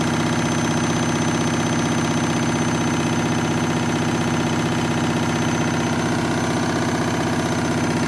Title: Washing Machine noisy spin cycle